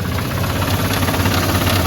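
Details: Blown engine, previously propane-fuelled with the propane throttle body still fitted, started mildly chilly after fully cooling. Rough idle with an uneven low thumping knock through the engine beat; owner expects it may lock up: engine knock.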